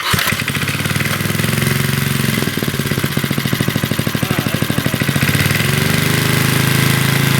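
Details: 40-year-old Briggs and Stratton single-cylinder on a garden tiller, after a carburetor rebuild, with some adjustments made because the owner suspected missing linkage: it catches and settles into a quick, fairly even chug, speed dipping then picking back up; it runs acceptably after the adjustment.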